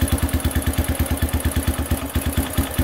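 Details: Honda CRF150F single-cylinder dirt bike cold start on half choke, in gear, no throttle, after cleaning a clogged carburetor idle jet: steady, even thump about three a second at idle, running cleanly; normal cold idle.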